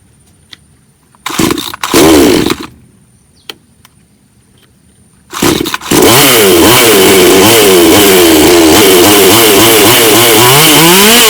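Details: Bonto 5200 chainsaw after the no-start from spoiled fuel was sorted: after two short pulls it catches and holds a steady high buzz with even rhythm, running cleanly.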